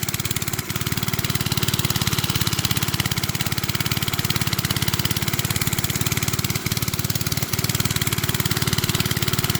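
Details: Briggs and Stratton-powered rotavator, thought to be from the 1970s, stood about 4 years unused, started from cold with a bit more throttle: small single-cylinder thumping at an even, steady beat, no misses or surging; normal running.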